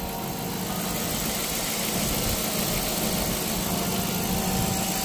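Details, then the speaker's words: Dodge Magnum 5.7 idling after coolant flush, reservoir replacement and thermostat install: a thin constant whine over the engine as belts slip because coolant was spilled on them. "all right now we're going to turn it on let it run run out of daylight I now my belts are whining and [ __ ] because I got coolant on the"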